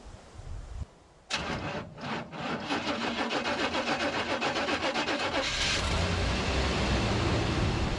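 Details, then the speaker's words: 1988 Chevrolet Suburban, cold start after sitting for a couple of months, with new belts and recent work; starter cranks briefly, the engine catches within seconds and settles into an even, steady idle; fired right up, runs good. "he's running good it's like the bullet though let's add some more well i don't see her leaking from anywhere yet i'm surprised she fired right up after sitting like that but she's running good"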